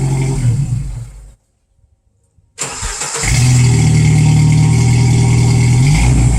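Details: Vehicle with TotalFlow muffler and Walker pipes after exhaust leaks from loose clamps were fixed with new simple clamps and welding, tested outdoors with revving: deep, even exhaust drone, no puffing or ticking from leaks; sealed, healthy exhaust.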